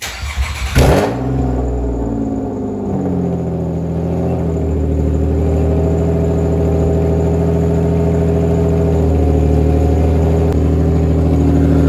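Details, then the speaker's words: Manual-swapped Nissan Maxima with headers and straight pipe, cold start: cranks and fires into a loud, raw, droning idle; pops and flames blew a hole, the exhaust pipe completely separated, causing an exhaust leak. "know how powerful the pops and the flames are on the car, that it made a hole in my exhaust."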